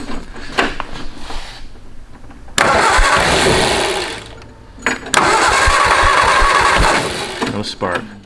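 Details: Canoe hot rod built from a 1953 Ford Anglia, not run in about 47 years: two bursts of steady cranking that never catch or fire. Little or no spark at first; needs cleaning up.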